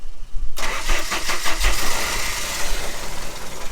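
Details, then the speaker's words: 1989 Jeep Wrangler YJ after cleaning and a new injector: cranks briefly, catches and fires into a lumpy, uneven run held on the throttle; starts and runs a while now, whereas before it only ran on starter fluid. "it starts it runs for a little bit it's a lot more than what it did before"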